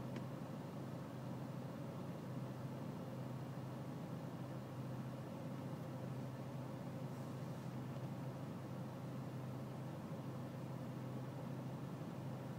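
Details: BMW E46 320cd diesel at low engine and outside temperature: quiet, low, rumbling idle with a steady drone and no clear knock; a rough cold idle, cause undetermined.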